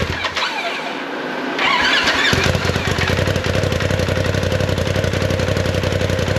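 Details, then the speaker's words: 2019 Polaris XP Turbo, about 5,500 miles, first start after engine rebuild for failed crank bearing; cranks, catches, settles into uneven shaky idle with lumpy pulses and heavy vibration; rough idle caused by swapped MAP sensor plugs. "But anyway, we cranked the bike up. It seemed to be running all right. It had a little rough idle. It was kind of a lot of vibration going on."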